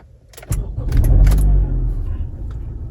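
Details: Honda Accord with a crank/no-start key problem, after programming a new key: a key rattle, then the starter catches quickly and the engine settles into a steady, even low idle; starts normally with the new key.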